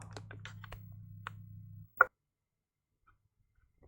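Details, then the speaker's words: Kärcher MV5 window vac that stopped working after being dropped, with a flashing red light; a new battery didn't fix it. A faint hum stops, then a sharp internal click, possibly a relay, and the motor never runs. Electrical fault suspected. "there is a very small click don't know if the camera can hear that but something's clicking inside before we'll go to Red so what clicks a relay perhaps it's testing something and then something's clicking and going off"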